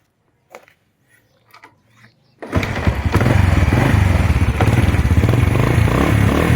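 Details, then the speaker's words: Honda Wave 100 single, original engine and original carburetor, described as a good engine: quiet at first, then starts first try and settles into a steady even putter, no knocks or rattles; normal idle. "เครื่องแจ่มๆสวยๆเลยนะครับเครื่องเดิมกองเดิมคาบูเดิมนะครับ"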